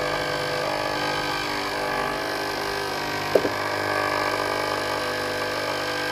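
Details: Philips GC7703 steam iron, soleplate heating normally, during clean mode: small water pump buzzes steadily with no steam hiss at all; water pump replaced.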